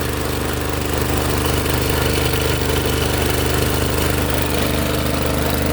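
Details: Honda snowblower with no drive: engine runs steadily while a fast even clicking, three to four per second, rides over it as the drive works briefly then stops; broken final drive gearbox.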